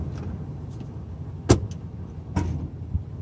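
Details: 2002 Ford F150 SuperCrew shifted from neutral into drive: quiet idle, then a sharp single clunk and a lighter knock after. A worn driveshaft U-joint is suspected, likely the front one.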